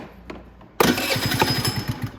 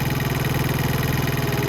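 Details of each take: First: Venom Roma 50cc GY6 scooter: cranks twice, catches and settles into a fast busy idle set too high, before the idle screw is turned down to about 1500 rpm. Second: Venom Roma 50cc GY6 scooter after lowering a high idle with the idle screw: single-cylinder engine idling steadily at about 1500 rpm with a smooth, even putter; normal idle.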